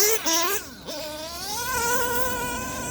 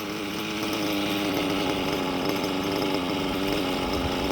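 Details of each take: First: STS D21B Dragon nitro engine on Traxxas Top Fuel 33% nitro, 8mm red venturi fitted, carb and throttle adjusted: high buzz climbs sharply, slightly thin and crackly at top; slightly lean, good smoke, winding out well. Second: STS D21B Dragon nitro engine on Traxxas Top Fuel 33% nitro, just after raising the too-low idle: steady high buzzing idle holding even pitch, no stumbling or dying; normal idle.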